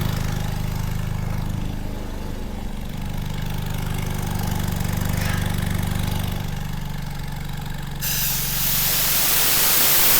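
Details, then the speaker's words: 1960s General Supply 260 air compressor, Kaiser Willys CJ2A engine with custom head, after new electronic distributor and timing set by ear: steady low drone picks up and holds as compressor reloads, air blowing off; rev-up problem cured. "When it unloads and then I cycle it and bring it back online, it doesn't like to rev back up. So, hopefully we got that cured."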